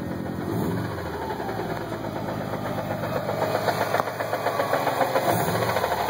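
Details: WRX with near-stock engine (intake, exhaust, Cobb Accessport stage 2), Exedy stage one clutch at 1400 miles: idling in neutral, a loose, irregular rattle comes in once the clutch pedal is released; owner suspects a broken disc spring or bad throwout bearing.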